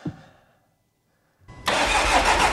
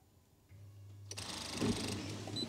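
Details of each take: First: 6-month-old VW Transporter diesel van, about 3,000-3,500 miles, misfuelled with petrol and run until it stopped; after fuel pump priming and battery change, it fires after a pause and runs loud, slightly lumpy as petrol purges through the injectors. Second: VW Transporter diesel with 3,500 miles, misfuelled with petrol and run until it stopped. With the ignition on, a faint steady electric hum runs briefly before a click from the flat battery, showing the fuel pump is priming normally.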